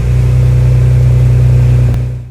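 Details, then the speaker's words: Ford Explorer ST, suspected blown engine after running very rich; switched back to a 93 tune and the O2 sensor is suspected: deep, steady idle with an even pulse and no stumble or miss before shutdown; healthy-sounding engine. "well there you go folks it actually did start"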